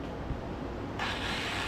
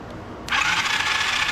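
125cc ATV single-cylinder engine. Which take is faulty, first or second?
first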